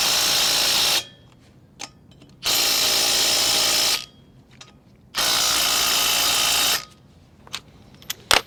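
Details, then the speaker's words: Ryobi impact wrench with 120 ft-lb torque stick on camper wheel lug nuts in cold weather: three bursts of rapid high-pitched hammering, about 1.5 seconds each with gaps; operating normally. "When it's putting it on, you let it hammer for about 3 to 5 seconds on each lug nut. You want to make sure that the socket quits spinning, and then you know it's set to 120 foot-pounds, and it's perfect."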